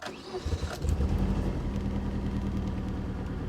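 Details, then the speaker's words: 1992 Saturn SL2 on booster pack: cranks and fires right up, then a low, slightly uneven rumble, service engine soon light on immediately; rough running on cold start. "she fired right up she sounded a little rough sounds a little rough service engine soon light came on immediately"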